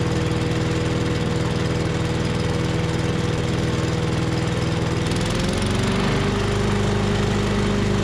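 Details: 5.5 hp Tecumseh engine on an MTD Yard Machines chipper/shredder after the carb fix. A steady drone sags as a roughly two-inch branch is fed in, pulling down near stall before recovering; the machine is rated for two-to-three-inch branches.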